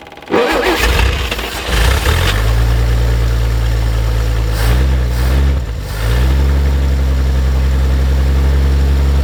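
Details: 1950 Chevrolet Fleetline Deluxe six, sitting for years, possibly stuck float jogged loose, accelerator pump working, kept cold: cranks, catches, blips, then settles into smooth, even idle with steady low beat; normal idle.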